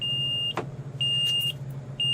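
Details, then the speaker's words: 2003 Forest River Georgetown Class A RV, 35,000 miles, LCI hydraulic leveling jacks all retracted after jack failure: steady high beep about once a second over low hum, all-retract error persisting; cause unconfirmed. "you hear the beeping sound here that beeping sound and again I will prove all these jacks are up"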